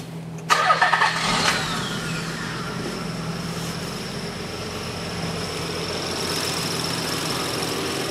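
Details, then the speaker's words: 1993 Infiniti J30, 101,000 miles, six-injector engine, start-up with amp clamp on suspected injector power wire: cranks, catches, settles to slightly uneven idle with faint stumble; roughness on one or two cylinders, worse warm. "has a slightly rough idle but you know take it on the road and you punch it it runs good all the way through the power band"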